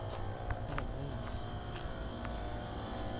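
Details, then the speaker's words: Running Carrier Gemini outdoor HVAC condenser: a loud, rough, rumbling drone with scattered rattles and clatter; sounds bad, cause unknown. "And that one carrier Gemini sounds terrible. That thing sounds terrible."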